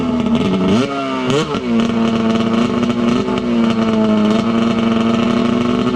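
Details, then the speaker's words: Arctic Cat F7 two-stroke snowmobile at full throttle on a drag pass after warm-up on the stand, run after it had snuffed out on the stand; fuel swapped for oil-mixed fuel. Pulls cleanly with a strong, steady high-pitched wail, no stumbling: running healthy. "Well, it ain't blowing up. That sounded like it was hauling the mail right there."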